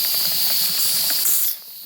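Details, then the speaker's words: Afghan kazan (pressure cauldron) being prepared for first use: valve weight lifted by hand releases a steady loud hiss of steam, then it drops off; the quieter of its two valves is working normally. "а так они одинаковые Оба работают Так что не беспокойтесь о том что у Вас например один Там классно сработал а второй молчит ничего не работает типа всё нормально"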